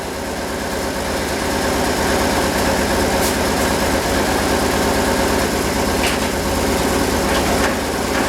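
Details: 2004 BMW R1150RT with the engine not running, gearbox spun: steady gritty rumble and whir pointing to worn transmission bearings; suspected, not confirmed.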